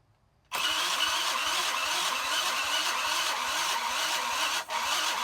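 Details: $30 junk 50cc moped on electric starter: fast steady starter whir, engine turning over rhythmically but never firing; cranks but will not start.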